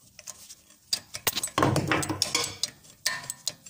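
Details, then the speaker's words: Rear brake pad rattle on a Nissan Maxima over small bumps: irregular light metallic clicking and rattling as the loose pad shifts in its caliper bracket; guide pins to be removed and checked. "вот слышно вот видно как колодка болтается крепежом"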